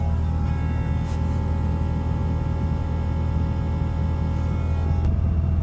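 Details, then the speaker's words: MK1 VW Rabbit with ABA engine swap, interior reinstalled, heard in cabin: steady thin whine holding pitch over low cabin rumble; electric fuel pump still unusually loud. "Right now I've got all my interior back in. Well, all the interior that the car came with. And you can still hear the freaking fuel pump."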